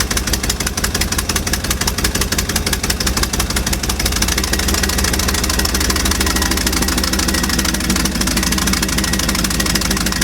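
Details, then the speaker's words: 1955 Chevy dump-bed truck, sat 23 years, engine restarted with fuel poured into the carburetor bowls: firm, evenly spaced exhaust pulses at steady idle, no knocks or misses; carburetor and fuel pump working; normal idle. "Oh, sounds good. Look at those car thing. Sounds awesome."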